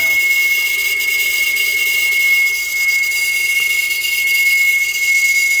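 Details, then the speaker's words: Shelf-spare motor run on a DIY solar/utility power blending controller for HVAC, hand-loaded: thin, steady high-pitched singing tone over hissy background; the motor bearings whine. "So this is one I grabbed off the shelf. Forgot. You hear the bearings"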